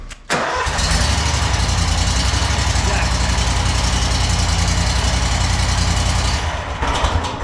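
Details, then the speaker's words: Riding mower, cold start with a fully charged battery: a brief crank, then it catches at once and settles into a strong, even idle with a steady beat. A healthy cold start. "other than that it's been fully charged ready to rock and roll I could probably turn the key over right now from a cold start"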